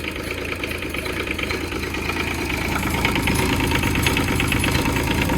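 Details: Develon E10 micro excavator diesel, first run after sitting a long time: steady diesel clatter at idle, about three beats a second, even and unbroken; the engine runs cleanly.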